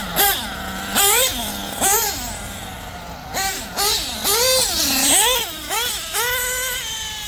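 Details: Nitro RC engine after LRP exhaust leak fixed, tune still in progress: sharp throttle blips about once a second, pitch rising and dropping cleanly, no sputter or hiss; normal running.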